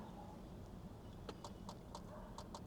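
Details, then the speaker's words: Flooded 2014 Maserati Ghibli with new battery, no-start, in about 20° cold: faint quick clicking bursts from the door actuator as power comes on, nothing else wakes up; cluster and front module suspected. "the door is trying to do something it is but there's nothing else happening nothing here"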